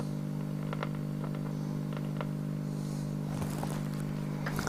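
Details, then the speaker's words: 1944 wartime civilian valve receiver after full capacitor replacement and a replacement rectifier valve: low, steady, unchanging hum under faint crackles at full volume. Persistent hum/buzz fault; earlier there was also no reception. "now there's a hum there all the time now can you hear that"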